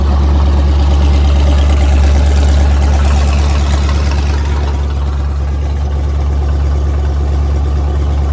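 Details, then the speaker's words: Cold L92 LS V8 swapped into a Chevy Colorado ZR2, straight-piped, on a Holley Terminator Max with an added inline fuel pump, idling high at about 1200 rpm while warming (under 1000 once warm): a deep, loud, even burble with steady firing pulses, healthy. "I messed with the idle a little bit, so it's gonna idle a little high as it warms up, about 1200. Then once it warms up, it'll go back down to under 1000 RPMs."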